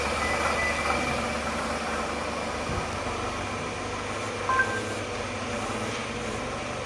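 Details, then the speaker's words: 2005 Toyota Camry (ACV30), idling: a rough, gravelly growl runs steadily with no clean tone. A stethoscope traced the noise to a worn water pump bearing, and the pump is being replaced. "Hari ini kita mau membahas suara ngorok dari Toyota Camry suara ngorok itu kemarin diidentifikasi berasal dari water pump"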